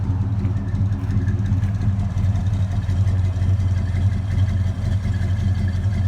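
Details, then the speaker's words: 1970 Dodge Super Bee V8, 50 years old, already warmed up, just after replacing valve cover gaskets (old one was the big oil leak), steering box and fan shroud: deep steady lumpy burble, no ticks or knocks; normal idle. "she's already warmed up a little bit a little lazy but it is 50 years old let's see what she sounds like"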